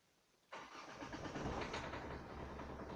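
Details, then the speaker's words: Renault 1.5 dCi diesel with Delphi Euro 3 injectors cranks, starts, then runs with a hard, uneven knocking rattle; detonation from an injector overfuelling, with black exhaust smoke from an over-rich mixture. "вот первая причина стука это детонация вследствие перелива форсункой в тире ампир у меня такое было"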